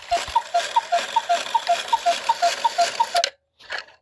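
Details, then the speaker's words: 1950s Gebr Kuner cuckoo clock, modified Regula 1 movement, after overhaul, with spinning couple figures: steady light ticks near three per second alternating in pitch while strike runs; unidentified noise as figure spins, figure not hitting post, cause unknown. "I don't know what that noise is. I hear it as she's spinning around. I'm not for sure what that is."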